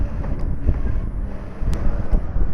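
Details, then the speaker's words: Industrial sewing machine, stitch length set to maximum, after readjusting the feed dog that was striking the throat plate: runs slowly with a steady low hum, no knocking any more. "ก็ไม่โดนนะครับเดินช้าๆเห็นมั้ยครับช้าๆก็ไม่โดนเนี่ยครับเห็นมยครับไม่ดังแล้วนะครับ"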